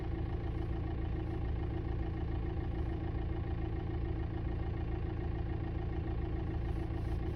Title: 2006 VW TDI Jetta Knocking and Buzzing sounds behind Passenger side Dashboard￼